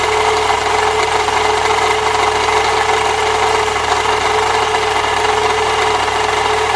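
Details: 1998 Saturn SL2 at idle with a shorter belt bypassing the A/C compressor: constant rough scraping grind with a steady ring from the belt area, noise persists; owner plans to replace the water pump next.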